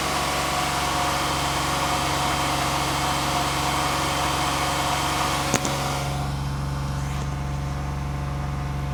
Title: 11 Genesis 3.8L Engine knock/rattle